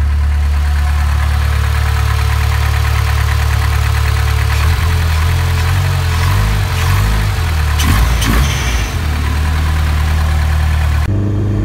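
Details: Partially built 2.2 OHV engine (Wiseco pistons, Molnar rods, 8:1 compression, .0040 piston-to-wall clearance, GT28 turbo for 32 psi) cold-started at -20°C, idling rough and heavy with dull knocking from piston slap before warm-up.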